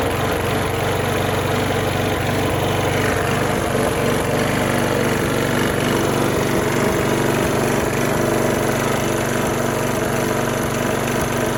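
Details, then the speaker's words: Trash-found Craftsman mower after repairs and spring adjustment: steady drone with uneven thumps about four per second; out-of-balance vibration, owner suspects the flywheel. "what you guys listen to it it sounds like something's out of balance possibly a flywheel"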